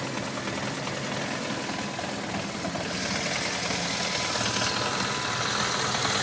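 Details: BMW F650GS single-cylinder with irregular tickover, beat stumbling and wavering, hunting idle close to dying; engine frequently cuts out when revs drop.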